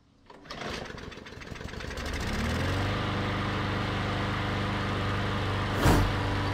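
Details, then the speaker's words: MTD Yard Machines mower, Briggs and Stratton engine, after clearing a clogged plastic carburetor with wire brush bristles: pull-start catches within two seconds into a steady, even drone with no surging or sputter; running properly. "we put those wire brush bristles through all the holes cleared it out that's what it took now it runs great"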